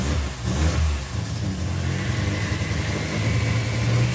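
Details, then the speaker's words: Toyota V6 with one bank turbocharged, driven under load in third gear: deep rumble with an uneven loping beat like a cam, though no cam was fitted; lumpy running, plugs possibly a bit fouled. "Did you put a cam in at the same time? No. You've got ghost cam."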